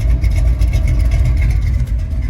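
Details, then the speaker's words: Chevrolet C10 pickup with newly fitted Edelbrock carburetor, idling at delivery: deep, steady low rumble with even beat, no knocks or misses; running the best it ever has. "this truck is running the best it's ever run not going to lie we put Ed Brock carburetor on it"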